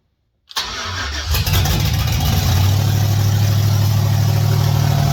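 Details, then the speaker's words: 1989 Chevy S10 Blazer with 2000 Silverado 5.3L LS, Stage 3 cam, LS1 intake, 58 psi fuel pressure, first start: quick crank, catches at once, steady even idle with no misses or knocks, hitting on all eight. "finally it runs sounds good hitting on all eight I think"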